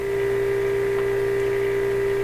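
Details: Northern Electric Baby Champ AM radio during final alignment: a steady 400 Hz test tone carries a constant low 60 or 120 cycle hum; possibly from how the signal generator ground connects rather than a radio fault, cause suspected, not confirmed.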